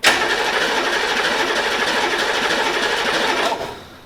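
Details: HMMWV diesel with a newly swapped engine, first start attempt while bleeding bubbly fuel: the starter spins it evenly for about three and a half seconds without it catching. Cranks but won't start, consistent with air still in the fuel line.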